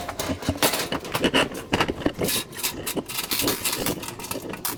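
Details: Clothes dryer before repair: irregular thumps and scraping squeaks come and go as the drum turns; knocking and squeaking while running, cause not yet pinned down.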